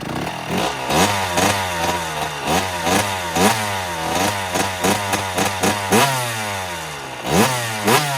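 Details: 2009 Kawasaki KX85 two-stroke after repair beyond a carb clean: crisp blips revving cleanly and dropping back to idle, no bogging or hesitation; running as it should.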